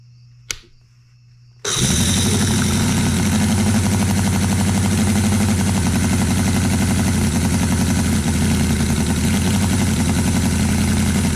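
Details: New Cison L4-175 flathead four-cylinder model engine, first run before break-in, mixture screws leaned after flooding; cranks briefly, catches, holds a smooth, even idle with a quick steady beat and no misses or knocks; normal running.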